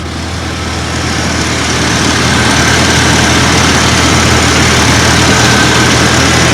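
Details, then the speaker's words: 1989 Dodge Dakota just after a cold start: steady, even low rumble with no skips or knocks, rising slightly as it warms; normal idle. "there you can hear that's smooth runs real"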